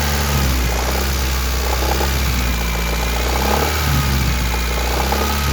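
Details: 1991 Honda Accord F22A1 (head swapped from a 1995 Prelude F22A1) at idle: light regular knock from upper engine around cylinders 3–4, present since February 2020, valve lash in spec; owner wonders about piston slap or rod bearing, cause unknown.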